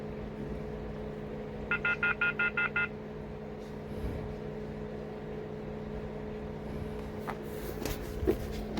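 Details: VW Vento turbo diesel after injector knock fix: steady even idle with low hum, no rattle, brief beeping early; the earlier tractor-like rattle, worst with AC on, is gone.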